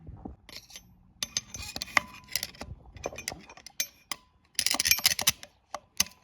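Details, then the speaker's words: Torque converter removed from a 2011 BMW E91 diesel 6HP21 automatic, after oil drained out with metal shavings. It gives loose metallic clinks and jangles as it is shaken because the internals and bushing move freely, so the converter is scrap. "В общем, это всё внутренности ходит, ребят. Ну, этот бублик уже непригодный, так что кому нужны маракасы, могут обращаться."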